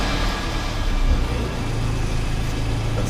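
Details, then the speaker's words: 2011 Toyota Corolla with the original 1NZ-FE four-cylinder: uneven, stumbling low idle rumble that sounds like a misfire, with no codes found on the scan tool. "But we definitely hear how the vehicle is sounding and definitely sound like a misfire."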